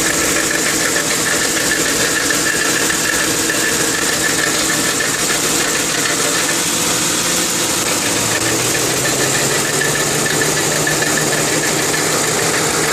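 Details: 2002 Lincoln Town Car steady idle with fast, light knocking rattle, gone when driving; driver's side catalytic converter broken inside, replacement stopped the knocking.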